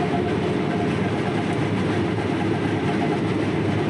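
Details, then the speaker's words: Combine harvesting peas, heard while riding in the cab: a steady heavy rumble with a hollow low drone; operator suspects it is the chain replaced on the feeder house, unconfirmed. "ہاں یہ تقریباً اس زنجیر کی طرح لگتا ہے جسے ہم نے فیڈر پر تبدیل کیا تھا۔"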